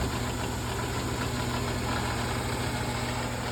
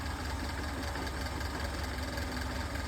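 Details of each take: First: General 340 drill press with a rattle: after tightening two bolts and the top cover, a steady motor drone with a loose, uneven rattle still riding over it. Noise is reduced, and the bottom belt cover is suspected. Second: General 340 drill press with the bottom of the cast-iron belt guard removed while chasing a rattle; steady even motor hum with low drone, no rattle, motor moving slightly more than before; normal running.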